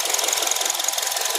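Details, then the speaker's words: 2.4 L Honda CR-V idling with a cylinder 4 misfire: fast, uneven stumbling tick. Coil swap, harness and compression all checked good, and the plug was oiled from not burning. A faulty number 4 injector was the cause, and replacing it fixed it. "It has a misfire on number four running wheel uh lock."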